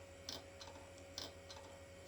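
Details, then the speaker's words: Hard drive in an IBM/Cyrix Socket 7 Windows 98 build, turned upside down as a trick: quiet hum broken by sharp clicks about every second as the heads seek and fail. It is not auto-detected in BIOS, so the drive is dead, or half dead. "trying to seek and we're not getting anything in the auto detection here or did we no I don't think so so yeah that is a um dead Drive well half dead"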